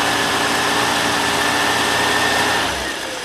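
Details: Ford Falcon just started after sitting all winter, gas dabbed into the carb, fuel cell: engine runs with a slightly ragged note at steady speed, then eases off; rough running at first, owner blames the winter sitting.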